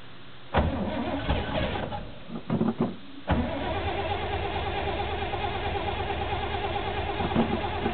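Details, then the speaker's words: 1977 Chevy K10 350 V8 with 4bbl carb, dead cold at 8°F in neutral, choke inoperative after an intake swap. Cranks, catches, stumbles and stalls, then refires into a lumpy uneven idle. Hard cold start, rough idle. "after doing the swap with the intake uh my choke doesn't really work so we'll pump it up it's running yesterday so it should start fairly quickly"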